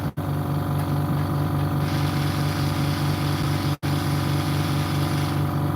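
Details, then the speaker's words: DeWalt DCS391 circular saw running rough: steady motor drone with rough, uneven pulsing about twice a second; the melted housing let the brush holder shift and scrape the armature, causing much of the noise. "The housing is melted and the holder has actually gone to the side and actually scratched the armature, and that's where a lot of the noise is coming."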